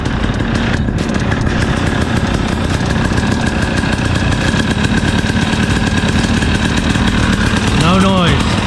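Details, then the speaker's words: 2017 KTM 300 XC-W two-stroke, first kick after a top-end rebuild for piston slap at 54 hours, not yet up to temperature: steady, even crackle with no rhythmic top-end knock; the knocking noise is gone. "cross your fingers you did it right and yeah check it see what happens first kick [Music] how do you like it now all right noises gone"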